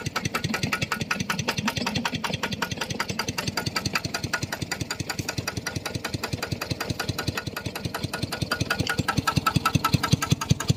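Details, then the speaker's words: Engine-driven piston pump started after its crankshaft set was re-oiled to fix a loud knock from lack of lubrication: soft, very regular thumping at about two and a half beats a second; runs very softly, normal. "เดี๋ยวผมจะสตาร์ทเครื่องแล้วก็จะไปลดน้ำตามผักนะโอเคครับผมดังนิ่มมากนะ"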